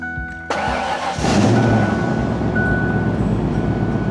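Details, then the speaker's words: 1997 Ford Explorer/Mountaineer started after a blend door replacement done without removing the dash: brief crank, catches in about a second and settles into a smooth, even idle with no knocks; runs good. "Let me listen to this thing, guys. I love the sound of this truck."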